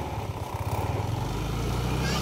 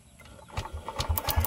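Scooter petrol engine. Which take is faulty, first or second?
second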